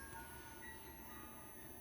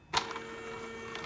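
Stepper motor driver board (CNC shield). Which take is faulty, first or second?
first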